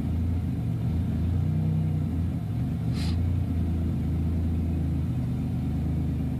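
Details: Buick Regal GS with 10.5mm wires, OBX headers, NGK TR6 plugs, ZZP 1.0 PCM and 3.4 pulley, on a cold morning start: deep, uneven idle rumble that lopes and dips irregularly, a continuing misfire.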